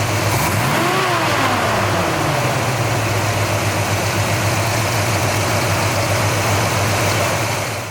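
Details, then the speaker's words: 1966 Chevrolet Chevelle SS V8 with GM 12-bolt rear, in excellent condition: quick throttle blip rises and falls, then a steady, even, quiet low burble at idle with a bit of rumble under gas; sounds healthy. "you're going to hear that this thing sounds great it's quiet but yet when you give it the gas it does have a little bit of a Rumble to it"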